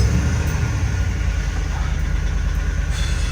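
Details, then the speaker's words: Auction bucket van, previously inoperable and running badly, first start after repairs including refitting the doghouse: low, even rumble with a steady idle, no knocks or misses; computer may need time to relearn. "Idling perfect. That's substantially better. It's been running so bad for so long, I bet you the computer's going to need to a second to figure itself out."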